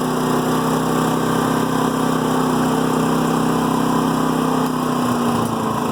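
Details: New Firman generator in Eco mode at light load: small engine with an uneven, loping beat and the odd stumble or backfire. Rough idle, reportedly reduced out of Eco mode or under load; cause unknown.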